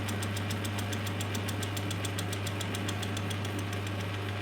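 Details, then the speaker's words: Steel angle being milled in a lathe with a homemade milling jig, light 5 thou cut: steady motor hum with crisp, even cutter-tooth ticks about three or four a second; a clean, smooth cut, normal milling. "There we are. That is cutting really nicely, and I can actually see the second one as it's turning round."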